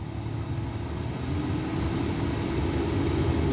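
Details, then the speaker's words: Ford Raptor with 240K miles, climate control just restored: a steady, even air rush with a low hum that holds level and builds gradually. The AC blower runs smoothly, and auto mode can now adjust the fan speed. "let's try the air conditioning I hear things it works listen to that"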